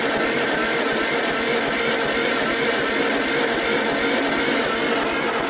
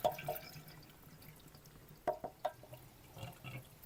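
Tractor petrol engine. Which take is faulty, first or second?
first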